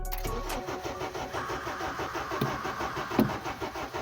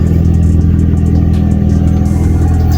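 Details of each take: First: Honda Civic 8th gen no-start with the fuel pump working and gas present: the starter cranks in a steady, even churn of about one or two beats a second, but it never catches. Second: Honda Civic 8th gen, revived after a no spark, no fuel, no crank fault (not the ECU), revving on a freezing morning; steady even firing with no knocks or misses, though a little smoky; normal revving.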